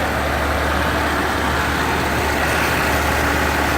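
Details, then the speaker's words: 1978 Cadillac Eldorado Biarritz V8 with 14,000 miles, started using a battery box: a smooth, even idle with a steady low rumble and no knocks, misses or ticks. Oil is clean and about a quarter to a third of a quart short. Normal idle. "Engine sounds good. We heard it run already."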